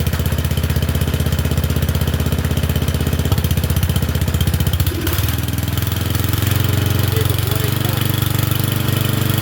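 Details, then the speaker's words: Murray Select 30-inch single-blade riding mower with a suspected plugged air filter: a steady, even low thrum with a brief dip near five seconds. It runs reasonably well and is burning junk off. "It doesn't run too bad. Fortunately, it's burning a bunch of junk off of there."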